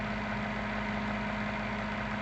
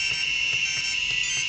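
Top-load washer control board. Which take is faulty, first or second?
second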